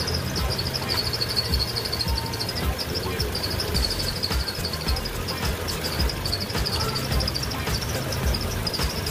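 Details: Car engine running with a high, chirpy fan belt squeal pulsing about twice a second after the engine bay was washed; silicone oil sprayed onto the belt makes the squeal fade gradually.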